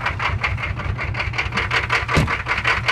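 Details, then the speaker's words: Diesel with DB2 pump, about 19:1 compression, cold start at 13°F, no cold advance or fast idle: runs smooth then chugs unevenly, about two and a half rough pulses a second; clears once loaded and prechambers heat. "but it's running smooth, and then it's chugging. That's why the video is shaking right now."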